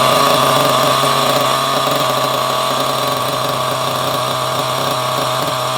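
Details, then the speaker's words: Small nitro RC car engine, restarted from nearly cold after the fix, buzzes at a steady high pitch, holding idle evenly on its own without sagging; it runs clean and really well. "Anyway, so this is actually running really well."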